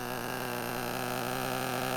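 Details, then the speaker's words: Traxxas nitro RC car with a .15 engine, glow plug fitted, idling with no transmitter after a fuel tank pressure line leak was noted: steady, even buzzing hum with no misses or surging; quiet and idling smoothly. "I love hearing this little .15 engine run. It is so quiet. It idles really, really nice."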